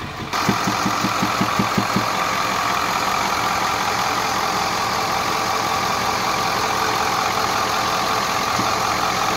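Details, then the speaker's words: 2010 Ford F-250 Power Stroke 6.4 diesel at idle, heard at intake air filter, passenger side: intermittent sharp regular knock about seven per second, gone at high rpm; compression escaping through intake, mechanic suspects a pushrod lifter. "momento no se escucha muy fuerte pero hay veces que sí se escucha el golpeteo bastante fuerte y ahorita se puede escuchar y el golpe se viene a escuchar aquí en el filtro de admisión"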